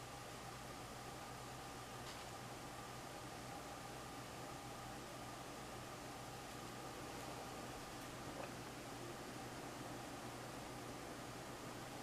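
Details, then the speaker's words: 52" Canarm Victorian ceiling fan, floor-tested, running in reverse at medium speed: a steady soft whir with a faint hum. The motor does not rattle or shake in reverse. Normal running. "doesn't make that rattling the motor doesn't shake on reverse I don't know why I find it weird"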